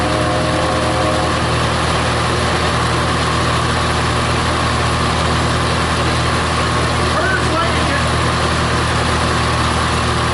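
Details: Massey Harris 81 tractor, first run in 15 years, started on full choke with the flat tire pumped up, stuck in worn ruts: a steady low drone holding an even idle with no stumbles under background noise; runs smoothly.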